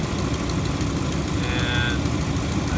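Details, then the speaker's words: Dodge Ram HEMI V8 at cold idle, heard from outside: faint, low, quick tick under the rumble that fades as the engine warms, from an exhaust manifold leak with two sheared manifold bolts (cast manifold warping on aluminum block). "So here it is from another angle, which obviously you can't see anything, but maybe you can hear it's just a low tick."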